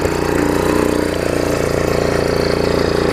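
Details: MTD front-tine tiller single-cylinder engine after fixing throttle linkage to the carb and adjusting throttle: steady even idle with a regular beat, no misses or knocks; running correctly.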